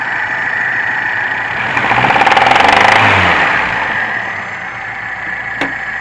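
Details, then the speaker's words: VAZ 2105 belt-driven engine after rebuild, bored pistons with grooved pistons: sharp rapid top-end knock starting near 2000–2500 rpm, fading higher; heard at head over cylinder 3, vanishes with cylinder 3 plug disconnected; cause undetermined. "все классно не троит только есть одно но сейчас заведу покажу и вот такой вот нехороший звук на оборотах больше он пропадает"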